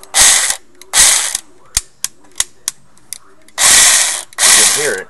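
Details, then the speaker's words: Echo1 USA Platinum airsoft M4 on semi-auto, broken per customer: each trigger pull gives a short high whir, gears spin freely, no shot cycles. Nozzle moves, so motor, bevel, spur and sector gears are fine; suspected stripped piston teeth. "you can see the nozzle moving and hear the gear spinning so that means that the nozzle which is attached to the tapa plate is being pulled back by the sector gear so that means the motor is working fine"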